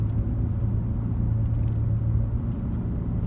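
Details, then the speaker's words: 2004 Chevy Trailblazer at road speed: steady low hum under the cabin, like loud oversized tires, with the tone changing as the wheel is steered slightly left or right; worn front hub bearings, replace both. "actually a common problem on these Trail Blazers easiest way to know if you got a bad hub bearing is literally just take the wheel and move it either slightly to the right or slightly to the left while you're driving and see if the noise changes"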